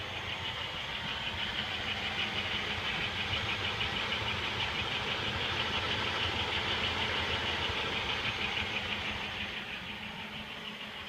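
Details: 1995 Pontiac Bonneville 3.8L 3800 Series II V6, 115,000 miles, idle: faint, even tick-like beat about three a second, unchanged with serpentine belt removed; compression and vacuum normal, power loss began with the noise; cause undetermined.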